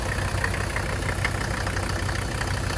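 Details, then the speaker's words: Mercedes diesel in an S-10 truck, first start after fitting a bigger rebuilt turbo and priming with the pump button: steady low rumble with even clatter and no misses. Normal diesel idle. "Oh! Ooh! She started. All right, we got it started. She is running."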